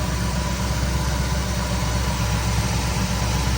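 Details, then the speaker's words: 1973 Ford Thunderbird, 429 CI V8, 24,000 actual miles, rescued and restarted, smoke now cleared: deep even V8 burble at steady idle with no knocks, ticks or misses, running on all eight cylinders. "She's hitting on all 8 cylinders. No more smoke. Listen to that baby purr."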